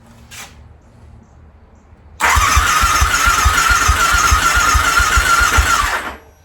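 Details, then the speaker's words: Harley V-Rod on its first start attempt in at least four years, with fresh 91-octane fuel, a new battery and the throttle body refitted. Steady starter whine and even cranking for about four seconds, never firing. Owner suspects old bad gas still in the lines. "Yeah, still pumping through a little bit of that bad gas in there, I'm hoping. I was hoping for a nice, good start."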